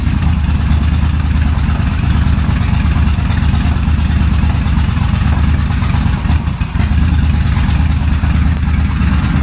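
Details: 2005 Suzuki Boulevard S83 V-twin, sat about four years, carburetor cleaned and rusty tank treated: steady even low thump at idle with no knocks, misses or ticking; normal healthy idle.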